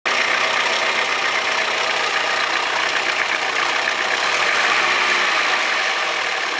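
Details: Audi 100 2.0 16V at steady idle: fast uneven light rattle about four per second; owner suspects bad lifters or rod bearing, unconfirmed.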